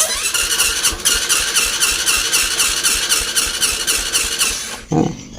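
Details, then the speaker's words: Supra X 125 motorcycle, cold, new spark plugs: rapid, even cranking chatter for about five seconds that never catches, then stops; hard cold starting traced to tight valve clearance with low compression. "fait froid c'est difficile de démarrer cette moto même si les bougies sont neuves aussi."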